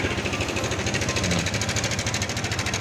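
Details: New Yamaha Exciter 155 motorcycle at about 6,300: fast even ticking, roughly a dozen taps a second, over a steady engine note; abnormal top-end noise, a specific part shown as the cause but not named.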